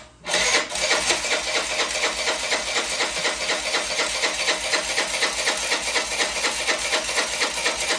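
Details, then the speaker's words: Old Honda Elite 80 scooter on the bench, no throttle cable, after adding something the owner hoped would help: catches and runs with a ragged, uneven beat surging about twice a second, never idling cleanly; rough running, seems to need exhaust back pressure. "hey there we go it doesn't sound very healthy but it's running"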